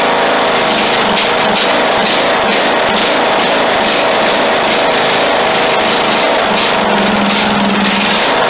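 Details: Craftsman LT2000 lawn tractor engine, unused for years, after the frozen throttle shaft and plate were freed. Buzzes at a steady, even speed with no knocking, misses or smoke: a good engine, normal running.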